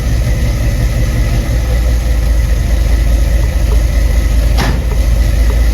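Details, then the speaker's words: 1975 Ford F-100 V8, 50 years old, idling during fuel-pressure checks: deep, even burble at constant idle with no stumbling, hunting or dropouts; running smoother than ever, healthy. "It's been running for about 10 15 minutes and has not moved at all. But the truck is running smoother than it ever has."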